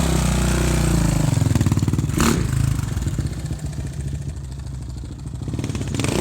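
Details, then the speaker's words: Older carbureted Suzuki RMZ 450, not rejetted after moving from higher elevation: single-cylinder thumping with metallic clatter as it revs and settles; seller said the noise is typical of that Suzuki year, rod knock suspected, cause unknown. "Hear that noise it's making? The guy told me about that. And he was just like, it's just this year's Suzuki kind of thing."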